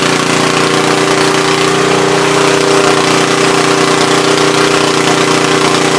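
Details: Troy-Bilt tiller after replacing bad spark plug: fires and holds a steady, even run with no misses or stumbles, healthy.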